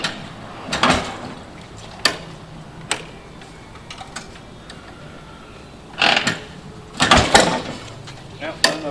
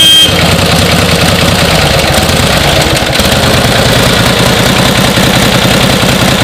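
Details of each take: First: 1949 Harley-Davidson Panhead V-twin, original paint, being kicked over: irregular kickstart clunks with a brief gurgling sputter but no steady firing; engine not catching, hard starting, needs care to start easily. Cause not confirmed. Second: 1949 Harley-Davidson Panhead, original paint, running: steady, even potato-potato V-twin beat with no misses or knocks. Normal running; owner says it runs like a top and just needs to be ridden.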